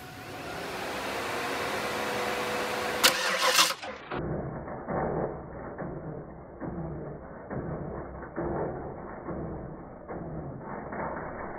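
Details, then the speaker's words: V8 (347 turbo build) cranks and catches, then idles with an uneven, shaking rattle in bursts, felt inside the car and rattling the dash; flex plate vibration, later found to be from a transmission not fully seated. "So as you can see, the flywheel, the flex plate on this car was just, it was horrible. You could feel it inside the car. It was rattling the dash."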